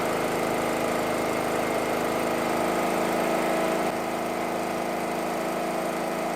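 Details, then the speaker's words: Small single-cylinder petrol generator, unused about 5 years, running on propane fed from the bottle, with speed set at the bottle valve: steady even running note, no hunting or misfire. "There you go! That generator hasn't run for about 5 years."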